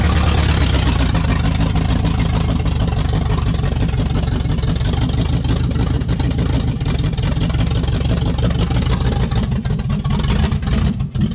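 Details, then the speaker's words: Spare-parts 350 V8 in a 1966 Impala on an untuned Chinese carburetor, engine not yet mounted properly: loud, lumpy, uneven rumble with a ragged beat under light load. Runs, but rough, and owner must still check timing and carburetor adjustment. "not bad for SP parts engine and no tuning on in a on a uh Chinese carburetor that's all right"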